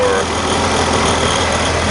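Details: Corvair Monza idling in the rain with a newly fitted fan belt, after the old Malaysian-made belt shredded and was thrown: steady even idle, faint fan hum, rain hiss, no belt squeal or slap; runs fine.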